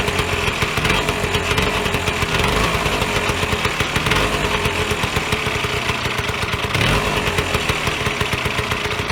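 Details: Vyatka Elektron (VP150M) two-stroke scooter, long stored in a garage, first start after connecting wiring and pumping fuel: steady rapid crackle, even and unbroken with a slight swell near the end; runs and idles properly.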